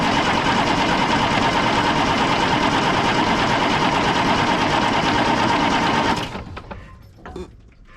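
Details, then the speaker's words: 1995 International 4700 dump truck with DT466 diesel, starved of fuel while fixing a tank leak, filter filled with fuel: about six seconds of steady starter cranking, roughly three turns a second, no firing; crank no start, fuel system not primed. "So let's crank it a little while and see what that does. No idea if that'll pick up its own fuel and build up pressure or what."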